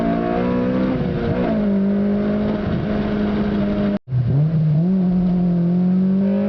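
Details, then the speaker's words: 2007 Honda Civic Si, stock ECU tune, Password JDM carbon fiber powerchamber intake, fully warmed up, hard acceleration through gears: strong note climbing hard, brief gap at shift, pulls again; aggressive VTEC crossover, healthy intake roar. "I'm gonna smash some gears out right here. Hopefully you can get a good indication of what it sounds like. VTEC crossover is pretty aggressive, so here it goes."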